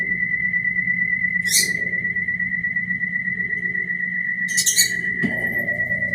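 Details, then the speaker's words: Brastemp Ative 11 kg BWL11 washing machine spinning washed rugs makes a strange noise of unknown cause: a steady high-pitched whistle at one pitch over the low drum rumble. "Olha o barulho. Ela tá centrifugando os tapetes que eu lavei."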